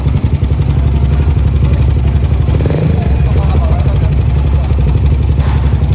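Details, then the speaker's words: Suzuki GSX motorcycle, owner complains of a rough engine sound, idling with a rough, busy clatter over a heavy low rumble, abnormally noisy in the engine internals; loose cam chain rattle. "Kedengaran kan, Guys, kalau ini motor suaranya enggak normal. Berisik banget di bagian permesinannya."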